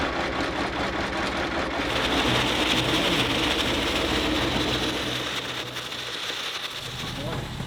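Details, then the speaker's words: Diesel service truck engine: rough, uneven idle with lumpy low rumble and loud noise over it, barely holding; owner suspects fuel system trouble, possibly failed high-pressure pump, and a bad head gasket since it ran hot. "well my friends we got her started but uh this engine is sick it's either got uh some serious issues with the fuel system I think the high pressure pump might be toast"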